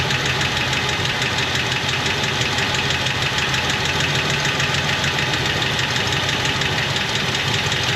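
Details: 1977 Jeep Wagoneer, AMC 360 V8, automatic, Edelbrock 1409 600 CFM marine carburetor: steady even idle with light fast valvetrain tick, no misses or hunting; normal healthy idle.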